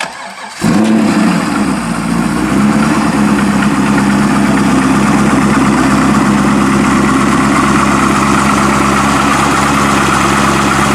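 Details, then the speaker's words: Heavily modified Corvette V8 with no stock engine parts, electric water pump, MSD ignition, FAST intake and rails, LG headers and near-straight pipes with mufflers: catches at once with a sharp bark, then a loud, lumpy, even idle; normal start. "That was awesome. I scare people starting it up. I scare people to death when I start it up."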